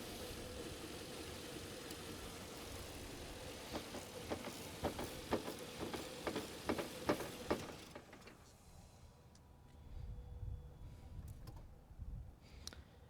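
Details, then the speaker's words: Lexus GX470 that died while driving, with a dim cluster and the battery light on. The engine idles with uneven clatter, then dies abruptly when the negative battery terminal is pulled; it failed load and pull tests, pointing to a failed alternator. "alternator it is so it failed my load test it failed my alternator pull test running only off the battery wouldn't start so my guess is that it has to be the alternator"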